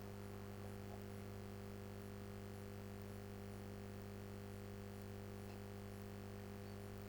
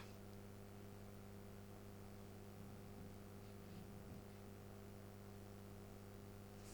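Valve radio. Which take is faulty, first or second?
second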